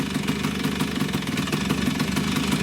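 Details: Freshly serviced Vespa two-stroke with new bearings, idling while the clutch is pulled: even quick pulse, note shifting slightly, no knock. The flywheel shows zero axial play, so the bearings are sound.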